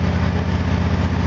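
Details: Engine idling after its spark plug gaps were increased by about 20%, which lowered CO, hydrocarbons and CO2 on the gas analyser: a steady, even low idle with a smooth firing pulse and no misses. It runs smoother than before the adjustment.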